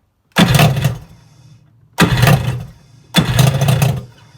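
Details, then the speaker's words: Kawasaki JS550 jet ski after fitting a starter from a JS440, which fixed slow or no cranking: three quick starts, each catching instantly and buzzing briefly before dying at low idle; starter cranks fine. "So I went ahead, took that starter off, put it in here, and boom, just like that. Click of a button, just like this."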